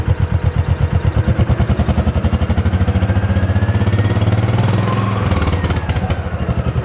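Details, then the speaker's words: 2005 Kawasaki Mule 600 after fitting a new spark plug (old one bad, a spider web was found): steady, even low thump at idle with no misses or stumbles; earlier misfire and no-start fixed. "seems to be running good i think that did the trick"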